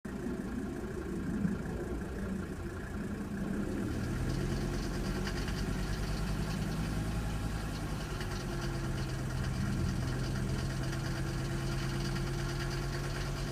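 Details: Mercedes OM602 five-cylinder diesel, about 1000 miles after injector rebuild and balancing with Monark nozzles: idling with a light, loosely regular tick over the diesel clatter; owner suspects a lifter tick, unconfirmed.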